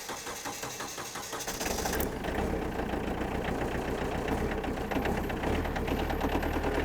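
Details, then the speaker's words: Modern diesel tractor restarted after running out of fuel and refuelling catches after cranking and runs with an uneven, lumpy beat that slowly settles as air bleeds from the fuel system. "there you go you can hear the air work its way through there is the fuel started to get back up into the system again but no more complicated than that"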